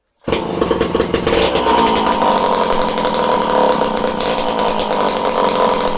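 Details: Homelite C51 two-stroke chainsaw, previously reported non-running, with fresh fuel, carb needles at base factory settings and confirmed spark: fires straight away and holds a steady high buzz without stumbling or surging; runs properly, surprisingly.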